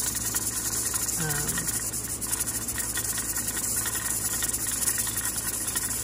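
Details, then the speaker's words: Vintage Mirro-Matic 6-quart pressure canner canning taco meat at the start of the 75-minute timer: steady steam hiss with a quick, fairly even jiggle from the regulator weight, growing more rhythmic; holding pressure normally. "And you're gonna wanna stick nearby because you wanna make sure that, you know, that your pressure's not up, that your heat isn't up too high, that it's just constantly whizzing around and going, you know, making all kinds of racket."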